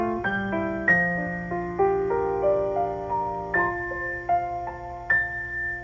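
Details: GE A-70 radio after recapping, resistor and wiring replacement, and a new cone fitted to the electrodynamic speaker that had distorted audio: piano notes come through clean and clear with no buzz or rattle on the strikes; speaker reproducing properly.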